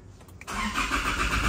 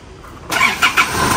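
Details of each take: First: Engine cranks at about four even pulses a second but never starts; no fault codes stored; with the fuel line removed, no fuel reaches the pump, pointing to fuel starvation. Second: Car that was cranking long and would not start, after fuel was found not flowing at the pump and a leak was fixed; restarted after sitting a while: short crank, catches within half a second, even run, long crank cured.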